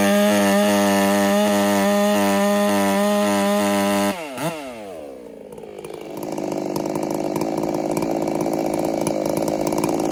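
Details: Ported Husqvarna 385 chainsaw during break-in, mixture set just slightly rich for safety: a high steady scream with a faint pulsing flutter at full revs before dropping off.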